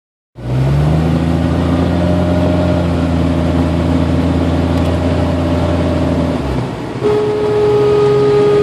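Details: 1992 Jeep Cherokee with A/C on, engine running: steady high whine that drops out, then a buzzing tone returns; intermittent, mostly at lower rpm or after a quick rpm drop, caused by an overcharged A/C system letting liquid refrigerant into the compressor.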